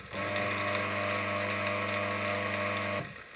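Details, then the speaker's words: FAAC 770N underground gate opener motor that failed after about a year, run on the bench with nothing attached and no load: steady buzzy hum with a coarse edge; still sounds off, owner suspects field windings or bearings. "so that still sounds rather off with nothing attached and no load on the motor so that which made me to think that there's something wrong with that motor"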